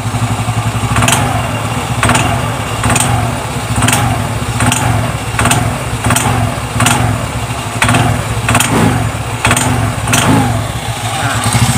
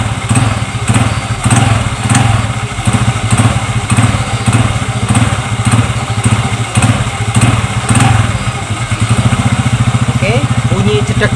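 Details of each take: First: Xeon GT125 scooter: sharp metallic clunks about once a second over a low engine rumble from the CVT box when throttle is first applied, traced to worn rear clutch dampers; CVT cover opened. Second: Zeon GT125 scooter with a jerky knock (jedak) on initial throttle, after replacing the small clutch-shoe seat cushions: blipped repeatedly and pulls away smoothly each time, no clunk from the CVT. Normal engagement.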